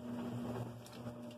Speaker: there it is running as you can hear an initial rattle from the momentum but after that nice and quiet you can hear it churning that's about it